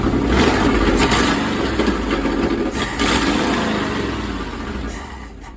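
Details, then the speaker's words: 1964 Chevy El Camino 283 V8 after setting the carburetor and timing with a vacuum gauge, which cured a major stumble: engine snaps up cleanly toward 4,000 rpm with no hesitation, rocking hard enough to pull the coil wire. Clean rev-up. "Just that little bit of vacuum tuning for to set the carburetor and to set the timing, and there's no hesitation."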